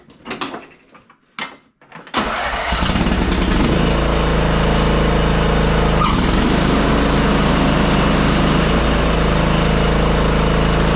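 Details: Craftsman R1000 30" rear-engine riding mower after a new brake assembly (983-05034) was installed: fires after a couple of cranks and runs smoothly; at shutoff the blade no longer keeps spinning.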